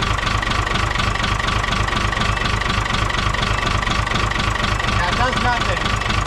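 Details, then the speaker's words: 1975 Chevy stepside pickup with an Isuzu 6BB1 5.4L diesel; the injection pump was rebuilt and the injectors cleaned, with some tips replaced. Lumpy, uneven idle with irregular knocks about twice a second. Cutting out injectors shows cylinders three and five not firing. "Yeah. So, number three and number five are not firing. I tested one and two. So, wait, it's number three and number five."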